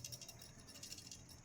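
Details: Samsung refrigerator with cooling problem, PTC start relay removed from capacitor and shaken: only a faint, light rattle, not the loud clatter of a broken pellet; relay good, continuity test confirms.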